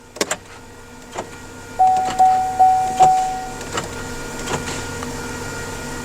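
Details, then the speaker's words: 2009 Chevrolet Equinox after one to two hours running, dash failing: four sharp clunks about 0.4 s apart with chime over steady idle, door locks cycling on their own; suspected CAN bus communication disruption. "Okay, so the dash is failing now. We can watch it fail and we can hear the door lock cycle as well. So, we're having a major bus disruption."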